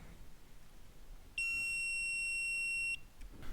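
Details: Rolls-Royce B-series 5.6 L eight-cylinder (156 bhp) in a Saladin armoured scout car, -6 °C workshop, distributor off for a misfire fix: one steady high continuity-tester beep, about 1.5 s, as the freshly gapped points close and make contact.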